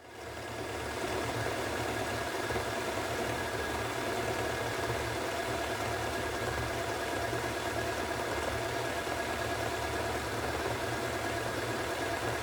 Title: Hoover Extra Wash Spinning at 1400RPM (Nearly bad bearings)